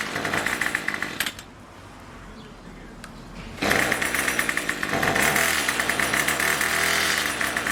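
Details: Craftsman Weedwacker trimmer 316.791191, MTD 27cc two-stroke, Zama C1U-P27 carb, after rebuild, next-day cold start with a little throttle: high raspy buzz fires up after a short quiet gap and holds steady, even running; normal running.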